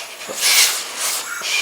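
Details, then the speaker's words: A leakdown test on a no-start Briggs & Stratton engine from a 1984 Craftsman lawn tractor, at about 75 psi in and 5 out, gives a thin, pulsing hiss. All the leakage goes out the exhaust, none out the breather, and it does not seem to be the head gasket: probably a burned exhaust valve. "and it's all coming out the exhaust it's like it's probably a burned exhaust valve"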